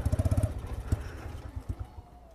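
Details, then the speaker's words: X-PRO 125cc Chinese sportbike, new: quick firing pulses then the beat falters, goes uneven and fades as the engine bogs; owner suspects low fuel. "it's bogging a little bit"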